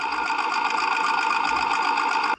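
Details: Snapper LT200 riding mower after fitting a new fuel pump and new fuel filter (the old pump was the cause): an even, fast cranking buzz for a little over two seconds, spinning normally with no drag. The carburetor still needs cleaning, as the engine hunted.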